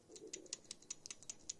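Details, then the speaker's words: Suzuki Grand Vitara alternator belt tensioner, engine off, pulley rocked by hand; quiet uneven clicking and ticking from worn bearing with play, rough spin one direction; needs replacement before it breaks. "you can hear the play so this one needs to be replaced it's going to break eventually"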